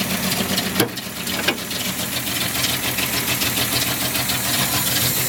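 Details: 1976 Datsun 280Z six-cylinder idling unevenly, its beat stumbling with a couple of sharp clacks; rough idle, and the owner says it runs rough everywhere.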